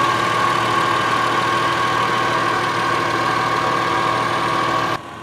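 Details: 2002 Subaru Outback L.L.Bean, checked for an exhaust heat shield rattle: smooth, even idle with a steady hum and no rattle or buzz from underneath; sounds healthy.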